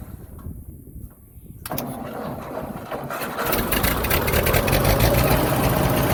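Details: 1958 Ford tractor after cleaning dirty ignition points, gap near 20 thou: cranks, fires, stumbles a moment, then runs steadier as throttle opens to clear flooded spark plugs; slightly flooded, otherwise running normally.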